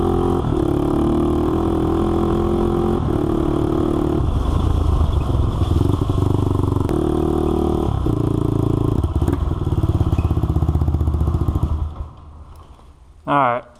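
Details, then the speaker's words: Honda 400EX quad, previously locked up, after repair with a new oil pump, first start with the solenoid jumped: single-cylinder thumps along at a steady, even idle with light blips, then shuts off; runs well, no oil leak. "it seems to be doing great it's not leing o or anything so this thing runs great"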